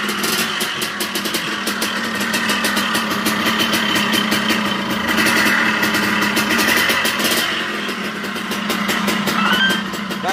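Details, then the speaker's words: Suzuki Satria 120R two-stroke motorcycle, owner complains engine sounds rough: buzzy idle with ragged, uneven exhaust crackle rising and falling; rough running, cause not found, piston/con-rod suspected before engine teardown. "Satria ini ya motor ini kendalanya kasar bosku suara mesinnya kasar"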